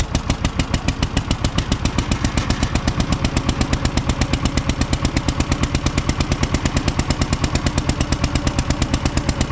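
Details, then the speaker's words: 1950 John Deere model MT, two-cylinder upright engine, with loader fitted, given throttle in gear: loud slow uneven chugging about three beats a second; misfiring, running on only one cylinder. "she's just chugging along on one"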